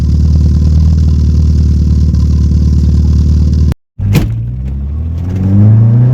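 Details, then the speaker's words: VW Golf Mk1 first start after adjusting the timing, heard at the rear: even, steady idle with no ticking or misfire, then a clean smooth rise as it revs; runs much cleaner than before. "Let's see how it's sounding in the back. [Music] Okay, this sound much more clean. Can you hear that, guys?"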